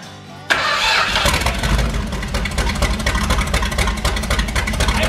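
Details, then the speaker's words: Ex-motorhome 1978 440 big block V8 for a 1974 Plymouth Cuda, on a custom engine run stand, not run in years: catches after a short crank and settles into an even, steady beat with no knocks or misses. "it should be getting fuel now that sounds good sounds amazing"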